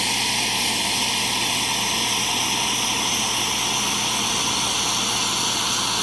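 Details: Bezzera Strega espresso machine, hot with full water tank, boiler drained to zero during repair test: loud constant hissing rush of water and steam escaping under pressure, even throughout; normal boiler drain.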